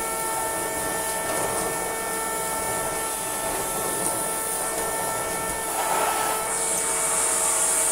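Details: Shark CV100 cylinder vacuum cleaner running: steady hoarse drone with fixed high tone over motor rush, constantly sounding like a horn; cause unclear, owner suspects recent modifications.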